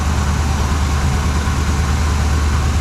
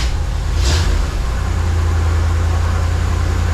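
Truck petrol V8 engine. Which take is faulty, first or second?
first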